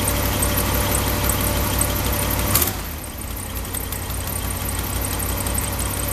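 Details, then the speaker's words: Truck, cold, after spark plug wire repair: steady, even idle sitting a touch high from the cold, deep smooth exhaust, no misses; normal cold idle. "okay so there's our wire installed and yellow one there and Idols gonna be a little bit high because the truck is cold but it will fire it up"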